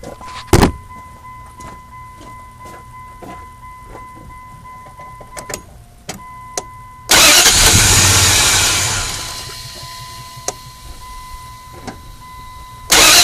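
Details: 4.7 engine restarted after warming up for a while: a chime, then cranking that catches briefly with some throttle and dies on the third try instead of holding idle. Hard start, cranks but stalls.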